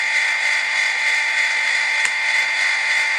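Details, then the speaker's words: Newly installed Hy-Gain AR-303 antenna rotor, control box turned after plugging in: smooth, steady gear-motor whine at constant pitch, no binding, stops when it should; normal running. "it looks like everything's working it sounds good no binding uh it stopped when it was supposed to"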